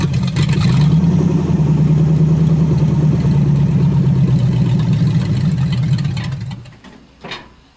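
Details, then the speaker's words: 1963 Allis-Chalmers front-end loader with 1978 Monte Carlo 305 V8, after years parked, still a bit cold: loud uneven lumpy rumble under held throttle, pulses around three a second, then dies away; cold engine running rough. "Oops, still a bit cold. Not a problem. Smells like a big block."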